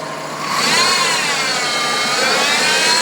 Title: Trailblazer Whining Noise Solved Idler Pulley